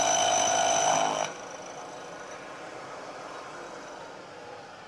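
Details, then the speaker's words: Machining cut on a part cantilevered out of the vise jaws: a ringing, squealing chatter that grows as the cut nears the overhanging end, then drops away. The vibration gives a poor, rough surface finish. "But as we get out towards the end of the part, this cantilevered out of the jaws, you can hear more and more vibration."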